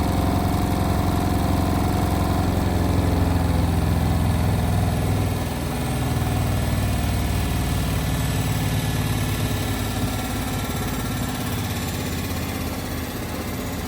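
Heavy humming spin with a steady pulsing shudder about four times a second, easing slightly partway through; abnormal spin vibration.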